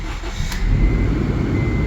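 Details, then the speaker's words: Car that had a misfire, fixed by swapping in a known-good spare cylinder head, torqued down; started on a cold day with the heater on full, it catches quickly and settles into a smooth, even low idle with no stumble or misfire, running really good. "Put the heater on blast because it's cold. Yeah, it runs really good."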